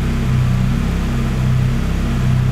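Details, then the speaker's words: Lada Granta Sport freshly rebuilt engine at idle: steady, even low drone with no ticking, knocking or rattles; runs smooth and healthy. "вообще не ну мне нравится работа нет звуков знаешь собрали как я [музыка] хотел"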